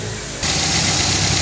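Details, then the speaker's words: Toyota Corolla Twincam after checking causes of exhaust backfiring (spark plug wires, timing): engine starts and settles into a loud, steady, even idle, no stumbling, judged correct. "Dari stasionernya seperti ini ada dedetnya gitu loh, tapi ini kan rata ya, jadi nah seperti itu udah tepat."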